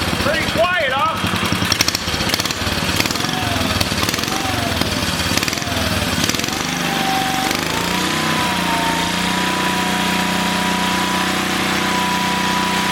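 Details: 1962 Cushman Trailster repowered with a new engine, started with a homemade jumper pack and choke: a few rough catches, then the small single settles into a smooth, steady, even note; running cleanly.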